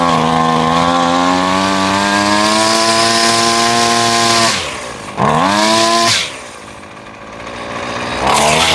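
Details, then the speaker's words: Husqvarna two-stroke string trimmer after a carburettor replacement, being tuned on the low and high screws by ear: clean howl rising smoothly at full throttle, crisp drops to idle and quick blips; runs normally. "That sounds really good. Let's adjust the idle just a touch more."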